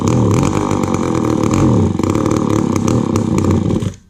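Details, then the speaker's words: McCulloch Pro Mac 10-10 two-stroke chainsaw with a 28-inch bar and a just-rebuilt carb, cold, on half choke: a loud, steady roar with a sharp "whack, whack" exhaust rap before cutoff. Healthy, though the carb needs more adjusting. "But did you hear that, or since I rebuilt the carburetor, but did you hear that whack, whack, whack, whack sound on the exhaust? That's pretty cool, I think."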